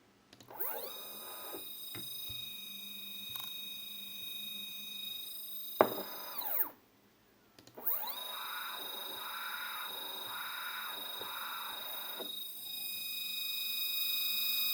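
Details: 3D printer stepper motor, previously used on the X/Y axis, connected alone at 2 A peak and run at increasing speeds: a smooth, steady high whine with even tones and no crunching. It sounds normal.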